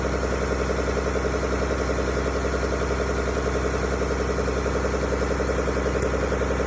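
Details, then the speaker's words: Mack B61 semi diesel with auxiliary fuel pump pre-run to build pressure (3–7 psi), 70 degrees water temp: steady, even idle clatter near 160 per minute, no stumbling; idled about 17 minutes, died only when throttled; fuel starvation suspected. "it idled frog probably 17 minutes and nothing happened it didn't die until we started trying to throttle"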